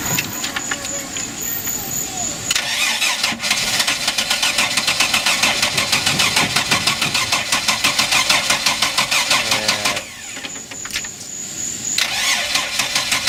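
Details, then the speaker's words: Mercruiser 4.3 V6 boat with a new block, a suspect rebuilt carburetor, a new fuel pump and possible water in the fuel: the starter churns a steady chug about three beats a second with no catch because the carburetor is bone-dry; fuel starvation. "so what's happening in this is Scott new engine block the poopoo rebuilt carburetor which I don't think was rebuilt correctly a new fuel pump possible water in the fuel but what I'm finding out is the carburetors bone-dry"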